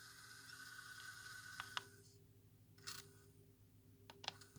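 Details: Philips DCC134 portable DCC recorder, arrived dead, then tape path cleaned and worn belt replaced. A quiet motor whir with sharp irregular clicks and a brief scrape from the tape mechanism, an abnormal noise.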